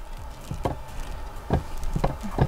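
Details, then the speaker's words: Creality 3D printer carriage roller (2020 batch) makes dry, uneven crunching clicks as it turns. The plastic tire slips on its bearing despite being tightened, which will cause lines on prints and make the bed nearly impossible to level. "в общем ролики в них слушайте хруст такой"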